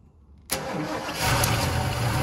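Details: 1976 Lincoln Continental 460 big block, 41,000 original miles, first start after revival with gas in carburetor: quiet, sharp catch, fires and settles straight into strong steady idle; starts and runs normally.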